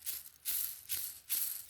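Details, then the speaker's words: Moto Guzzi Eldorado 1974 five-speed gearbox bearing turned by hand: gritty, rasping, notchy noise in bursts; bearing spalling with silver flakes, needs replacement. "A little bit noisy, a little bit notchy. One of them was spalling. There was silver flakes coming out of it."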